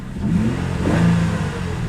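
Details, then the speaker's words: Salvage auction car, engine light and traction control/ECS warnings after a crash, engine light went out: short clean blip, revs rise smoothly and fall to steady idle with no knock or miss; normal rev. "sounds decent let me get my code reader well the engine light went out I wasn't gonna check the codes"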